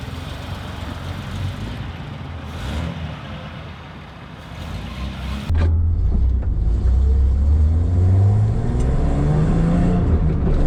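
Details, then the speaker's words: Datsun 240Z with freshly rebuilt engine and electric fuel pump, on its first drive: engine pulls smoothly, hum climbing steadily with speed, no knocks or misses; running healthy. "cars running good"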